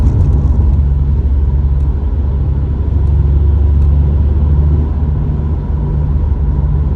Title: STI tire or wheel bearing noise